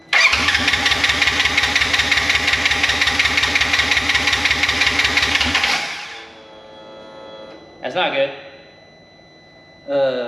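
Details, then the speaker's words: Wrecked 2016 Polaris RZR 900 S, brake pressure switch bypassed, air in fuel line: steady cranking about three turns a second for six seconds, never catches; no spark. "first things first check if we even have Spartan no spark no spark"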